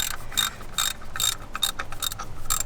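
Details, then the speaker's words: Ford Mustang GT with a Whipple supercharger: dry metallic rattling clatter in quick bursts as a removed loose idler pulley is shaken by hand, its worn bearing chattering. On the engine it sounds like Whipple chatter with every belt rotation, but much louder. "so if you have a Whipple kit and you hear like weird noises with every rotation of the belt it'll sound like a chatter like the Whipple chatter but it's not actually the Whipple chatter it's a lot louder"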